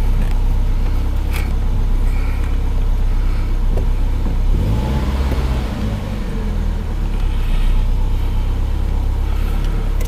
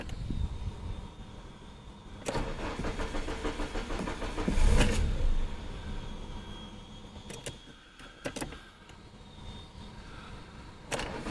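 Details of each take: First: Samand petrol car after idle air control valve (stepper IAC) replacement, fixing hunting idle, stalling and hard starting: starts at about 1500 rpm then settles evenly to about 1000 rpm; normal idle. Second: IKCO Samand with a floating idle that starts only with the gas pedal. Two long cranking bursts catch only briefly and the engine won't settle at idle. The cause is a faulty idle air control valve, which is replaced.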